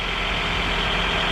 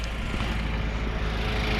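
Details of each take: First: 2000 Honda CR-V, 166,000 miles, after timing belt replacement: steady even idle with no rattle, shake or misfire; engine running normally. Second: 2000 Honda CR-V with 166,000 miles, first start after a timing belt replacement: a light, regular tick of about three per second over a steady idle. The cause is loose bottom timing cover bolts being caught by the crank pulley.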